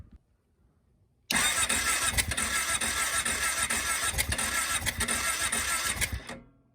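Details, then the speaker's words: Kawasaki KFX 700 V-twin ATV cranking about five seconds with uneven pulses that never catch; has fuel and spark, backfired through the carburetor; owner suspects valves out of spec; no-start. "It has spark. I checked that. It does have spark. It backfired through the carburetor. I'm really thinking the valves are out of spec on this thing."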